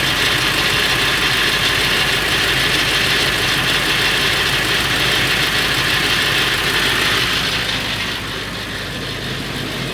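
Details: Late 1999 Ford F350, 7.3L Powerstroke diesel at idle: constant metallic rattle about three beats a second over the clatter, more pronounced under the truck; owner suspects flexplate or engine, unconfirmed.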